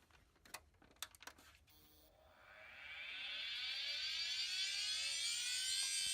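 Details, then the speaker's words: Dell Dimension 3100 with replacement 160GB Western Digital hard drive: a few clicks, then a high whine climbing in pitch and holding loud at speed; drive noisy and likely bad. "Oh no. Hear that? It's very clearly the hard drive, and probably another bad hard drive, but for a different reason"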